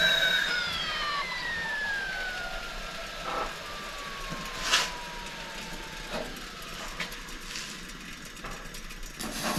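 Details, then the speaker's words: Old kettle on a long-unused Coleman camp stove, owner doubted the whistler still worked; thin high whistle starting sharp and sliding steadily lower over seconds as water boils; whistler working. "i'm seeing a little bit of steam whispering out of there i don't know if the whistler works on that kettle anymore or not yep there it goes"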